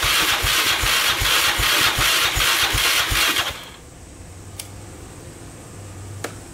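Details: 2002 Yamaha Raptor 660 after timing chain and bent valve replacement, choked, first start attempt: sluggish even cranking under three turns a second for over three seconds, never fires; starter not spinning it fast enough.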